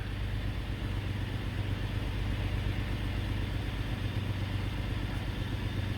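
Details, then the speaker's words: 2005 Toyota 4Runner V6: low idle drone with an uneven lope, a soft stumble about three times a second, and an intermittently flashing check-engine light; code P0304, cylinder 4 misfire, traced to the ignition coil. "morning and he started misbehaving like he was misfiring it was you know the check engine light came on it was it was intermittently going off and on"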